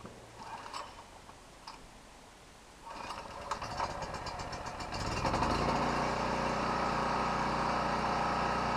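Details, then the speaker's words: Portable petrol generator, unused about a month, with added fuel shut-off valve, fuel mostly a year old: quiet, then starts on one pull within a second and settles into a steady, even run, showing the gas is good. "now well she starts right up in a second and pull that kind of tells me the gas is good"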